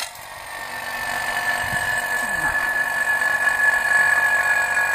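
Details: Vacuum pump evacuating a Zanussi ZRB 34 NC refrigerator's sealed system after capillary tube replacement, before refrigerant charge; even, steady whirr with a constant high whine and no knocking; normal vacuum pump operation.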